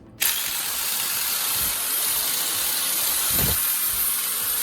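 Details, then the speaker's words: Angle grinder after worn carbon brushes were replaced, plugged in and run with no load: steady high whir, smooth and strong with no cutting out or stutter. "ผมเสียบปลั๊กเปิดสวิตช์แล้วก็ฟังเสียงราบรื่นมั่นคงและแข็งแรง"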